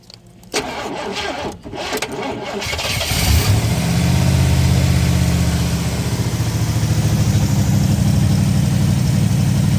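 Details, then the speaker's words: 1970 Oldsmobile Toronado 455 V8, first run after years abandoned: big V8 catches and settles into loud lumpy idle with revving, then overheats and is shut off. "Oh, we have overheated it. Well, that's a good time to stop."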